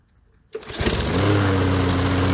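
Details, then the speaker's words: Toro Recycler lawnmower that would not start: after fuel-system repair (main jet clogged with dust) it catches after a brief crank with an empty fuel system, then settles into a steady, even single-cylinder putter with a little white smoke from disuse; normal running. "pero ahí va señal de que ya arrancó poito es buen Ahí está mir inclus est aventando un poquito de humo blanco pero era porque pues por la falta de uso"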